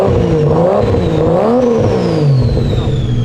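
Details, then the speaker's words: 2JZ engine with a BTI CAN gauge, in neutral: a quick throttle blip where revs climb cleanly and drop back smoothly with no misses, knocks or rattles. A healthy free rev that the owner says sounds good. "freaking good it sounds so good I'm gonna give you guys a little rip"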